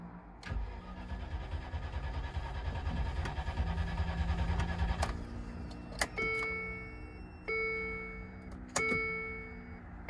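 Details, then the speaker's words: 1999 Land Rover Discovery II bought as a no-start, battery very flat, on a jump box with ether sprayed: starter spins steadily for about four seconds with no firing, then only dash chimes; crank no start. "well that's a crank no start you still got all the blinking things there"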